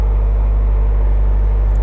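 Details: 2017 Subaru STI, Pulsar 6466 turbo, Link ECU, ID2600 injectors, on about E79–E89 ethanol: deep steady idle with even low burble, no knocks or misses; coldish engine settling smoothly before warm-up.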